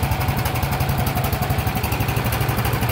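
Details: Yamaha 5 kW recoil-start generator running. Steady, even low thrum with a quick regular beat and no misses or knocks; running smoothly and normally.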